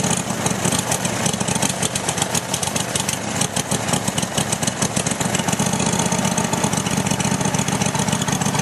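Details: Roper small single-cylinder engine just after carburetor refitted, the carburetor confirmed as the problem: steady even chuffing beat with no stumbles or surging, slightly smoky from paint on the intake; normal running.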